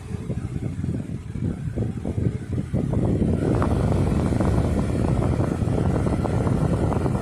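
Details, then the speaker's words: Lasko Weather Shield 20-inch box fan, heavily used for about a year, after cleaning and service, on medium speed: steady, even low whoosh once settled, no wobble, rattle or ticking; no vibration, well balanced blade, normal operation. "Very powerful fan. Speed variations on this thing do satisfy. No vibration at all, very well balanced."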